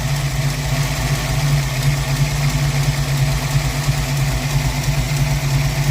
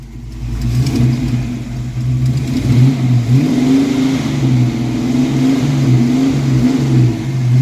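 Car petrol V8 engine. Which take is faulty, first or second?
first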